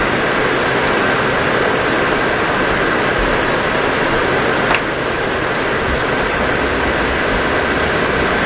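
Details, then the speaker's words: Suburban RV furnace previously short cycling then faulting off, test-fired with thermostat wires twisted together: steady even roar of burner and blower with no cutting out or surging; firing and running normally. "well did you hear it yeah it fired right up so I'm going to let it run here for a little bit uh just make sure that it doesn't want to cut out cut off on us"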